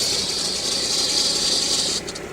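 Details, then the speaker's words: Steady, piercing high squeal at idle that cuts out abruptly when water is sprayed on the serpentine belt, returning after about 30 seconds as it evaporates, confirming belt not bearing; squeal comes and goes intermittently, persisting even with belt fully warm. "so we know it's the belt but why is it only sometimes why is the belt only squealing sometimes why does it go away"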